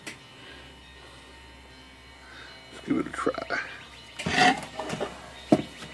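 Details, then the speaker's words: Olympia SM-3 manual typewriter after space bar rubber spacer replacement: crisp key clacks and clear carriage bell ring, no rubbing or dragging; working normally. "So, let's see if we can hear it rub. No rubbing. Just some nice bell action."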